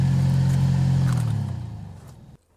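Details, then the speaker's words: Chevrolet Silverado HVAC blower still makes a deep, droning hum with a low rumble that winds down as the fan stops. This is after a first attempted fix; debris is suspected inside the under-dash blower motor. "Oh, nope. Still sounds like butt. So let's go ahead and pop the motor off and see if there's anything in there"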